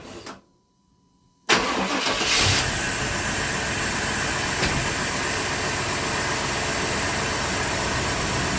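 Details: Truck that had been a crank-no-start, after the weak old injectors were replaced with new ones: a brief quiet, then it fires at once and settles to a steady, even idle with no stumble. Normal start and idle.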